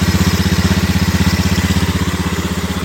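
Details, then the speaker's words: 2018 Honda Scoopy ESP scooter after fixing an intermittent electric starter fault that only clicked: it now starts quickly and idles steadily and evenly at about four pulses a second with no misses; normal idle. "ini saya hanya saja untuk membuktikan bahwa apa namanya starternya itu sudah normal ketika terdengar suara seperti ini ya ciri khasnya"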